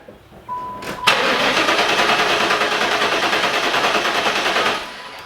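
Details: LT1 V8 in a 4th-gen Pontiac Trans Am with resurfaced heads, compression test for misfire and stalling: starter turns the engine evenly at about three beats a second with no dragging; cylinder reads about 175–180, healthy cranking.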